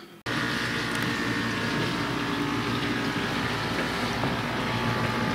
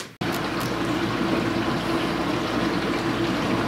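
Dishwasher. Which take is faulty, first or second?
first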